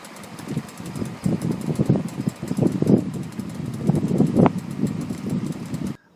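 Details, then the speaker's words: 2013 Ford Explorer, about 20,000 miles: loud repeated clicking from the left front wheel on right turns, the half shaft outer joint popping loosely in the hub; fix uses thrust washer BB5Z-7G273-B. "okay so that's exactly how a CV shaft will sound when you go on turns and they start to fail like that they'll do that clicking noise"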